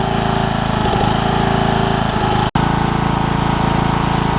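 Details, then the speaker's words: Briggs & Stratton single-cylinder riding mower engine after a carburetor swap, oil still burning off in the muffler: steady, even chug with regular firing, no misses or surging; running healthy. "oil in the muffler wow we'll let it settle itself out as you can hear it's running pretty good"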